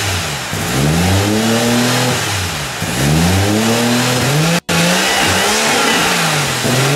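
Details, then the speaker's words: Engine's idle rises and sags in slow waves about every two seconds, never settling, after idle adjustment part was removed and refitted; owner suspects idle set slightly low and hunting to adjust itself, maybe an idle screw to set. Surging idle. "all right so if you heard that ribbing I'm sure if you know what's up then go ahead and let me know it sounds like it's just a little low and trying to adjust for itself"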